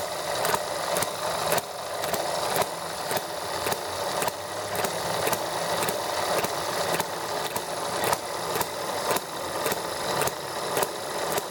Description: It started really easily and ran nicely for about 10 minutes while I was working with the ET1 and generator box.